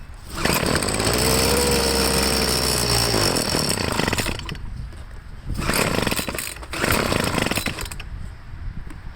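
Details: Troy-Bilt two-stroke leaf blower after carburetor cleaning, test start on half choke: revs high, sags and picks up in uneven bursts, losing prime at the bulb; fuel starvation, tank out of gas.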